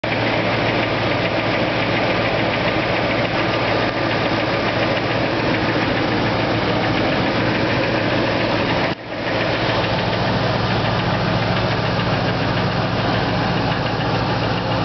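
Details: 1999 Ford F-150 5.4 2V V8 (no cam phasers) at idle, heard from underneath via wooden stethoscope on the passenger-side exhaust manifold: rapid, even knocking tick; possibly cylinder two, rod knock suspected, not confirmed.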